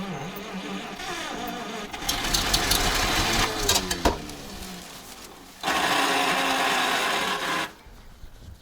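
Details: ZIL crane truck petrol engine after 20 years standing: uneven cranking, ragged brief firing and sharp pop back through the carburetor; owner suspects too little fuel reaching the cylinders, carburetor problem.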